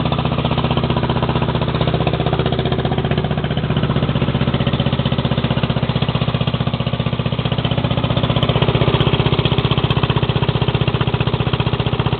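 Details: Lawn mower small single-cylinder engine, warmed up after a cold start. It gives a steady, even thump at a fast regular beat with no misses or knocks. It started easily after the throttle was opened a bit. Normal running.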